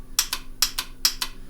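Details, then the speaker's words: GM V8 Active Fuel Management (DOD/AFM) lifter oil-control solenoid, 12-volt on-off unit switched by the computer, bench-activated: sharp paired clicks about every 0.4 seconds, crisp and loud, switching properly; normal solenoid click. "So it's just a 12-volt on-off solenoid, as all these things are."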